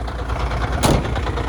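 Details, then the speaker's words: Heavy truck diesel cold-started at 40° coolant temperature after repair: an even low idle throb, the squeak gone, with one brief air hiss. The air compressor is suspected of needing adjustment or repair. "всё больше ничего не скрипит Ура заработала работает очень хорошо двигатель"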